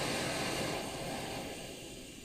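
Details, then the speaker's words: Primus OmniFuel stove on white gas with OmniDawg cap, turned down: soft steady hiss easing to a quiet, even simmer with no sputter or chugging. Normal low simmer. "that's the kind of simmer you should be able to get out of an omni dog cap even lower actually and it will tend to hold that especially with white gas"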